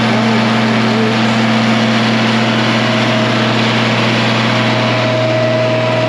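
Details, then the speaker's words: 1966 IH 1206 Standard diesel tractor on the dyno at wide-open throttle, partial load, breaking in after a head gasket repair and rebuilt head: steady, even drone with a constant low hum and no knocks or misses. Normal running under load. "we're just going to listen to this here in home and kind of watch gauges that's wide open partial load if you can hear"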